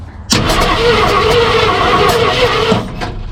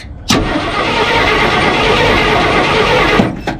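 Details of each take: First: 1968 Ford F100 small-block V8, out of a junkyard after 12–13 years, first start attempt: starter grinds while the engine coughs and spits back irregularly without catching. Suspected wrong firing order; plan to reset from number 1 at top dead center. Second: 1968 Ford F100 small-block V8, out of a junkyard after 12–13 years, cranking: engine spins fast and evenly for about three seconds with no clunks or rattles, and the starter sounds good. Normal cranking.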